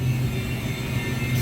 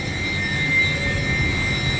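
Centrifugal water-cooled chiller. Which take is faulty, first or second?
first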